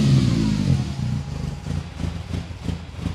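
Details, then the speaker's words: Freshly rebuilt BMW S14 engine in an E30 M3, first runs, smelling a little rich: uneven lumpy revving on throttle that sags and stumbles between blips, won't idle; cause unclear, idle control valve or air leak suspected. "but yeah it won't idle basically right so yep okay so it's not idling very well we have to figure that out and understand what's going on with the idle"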